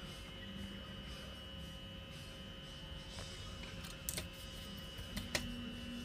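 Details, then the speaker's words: First-generation Polytone Mini Brute amplifier: constant hiss and faint whine with occasional sharp crackles once warmed up, caused by a noisy obsolete RC4739 op-amp IC. "this amp when turned on will start giving a hiss and a crackle which uh you'll hopefully hear in just a moment"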